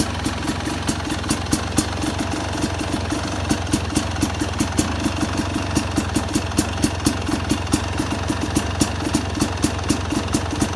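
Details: Two-stroke Yamaha YZ250X at idle with the pulser coil moved to more ignition delay (retarded timing): a low steady drone with crisp ticks about four times a second.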